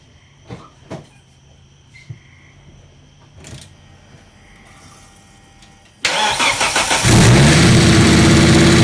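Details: Volvo 850 T-5R first start after engine rebuild, 93 octane before planned E85 after 250-mile break-in, catch can and intake/intercooler pipe not yet fitted: short crank catches at once, settles into steady even idle without knocks or misses.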